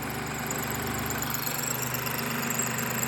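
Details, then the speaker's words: Third-gen MINI Cooper that stalled on start, codes for rich mixture deviation: uneven lumpy idle, strained hollow note; charge pipe after the turbo fully collapsed, a rag left inside blocking it, likely from the battery replacement. "so there's definitely a blockage because this is collapsed fully I can't believe the engine's still running"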